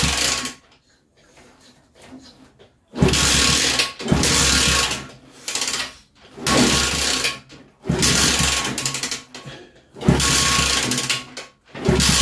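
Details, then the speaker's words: Kids' 50cc mini chopper toy motorbike (chain, kickstart and electric starter, no battery), first start attempts: repeated fast whirring cranking with pauses, never firing; owner suspects a filthy carb and tries bypassing it. Crank, no-start. "let's try it again i reckon that carbs filthy let's try and bypass them"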